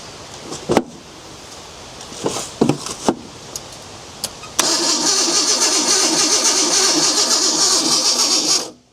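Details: Abandoned Ford Bronco II with rodent-chewed wiring being repaired: a few clicks, then the starter cranks steadily for about four seconds and the engine never fires. Owner suspects a wiring or ignition fault, not confirmed.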